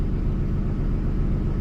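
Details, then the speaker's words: 2003 Ford F-150 V8, towed in with a flat battery after sitting about 8 months, idles with a deep, even burble and no skips or stumbles after a failed coil was replaced; normal idle, runs smooth. "Oh, she sounds good. Looking good. Looking good. That coil did it."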